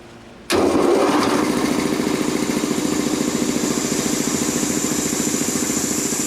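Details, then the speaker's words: Rebuilt Quincy 325 air compressor test run after cylinder head cleanup and valve rebuild: starts instantly and settles into a steady pumping beat near 3.5 per second with no knocks. "at this point it ought to sound like an air compressor well sounds well"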